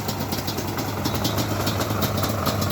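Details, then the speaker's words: Yamaha Banshee two-stroke quad idling after new exhaust clamps fitted to stop exhaust leaks: steady crackly even idle, no puffing or ticking at pipe joints; sounds better, exhaust sealed. "i finally ordered these clamps for the exhaust right there so no more exhaust leaks it actually sounds a little better"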